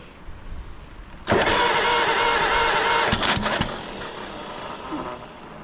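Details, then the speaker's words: Pilot (pony) motor during a full engine rebuild, first start with its starter motor, before fitting to the dozer: short crank, then catches cleanly into a steady busy run that eases off; normal start and idle. "And this is the actual pilot motor. He's doing a full engine rebuild. So, this will go onto that dozer later on. This is the very first time it's been started um with the starter motor."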